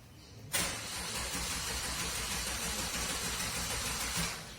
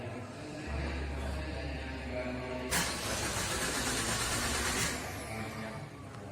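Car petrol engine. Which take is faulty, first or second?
first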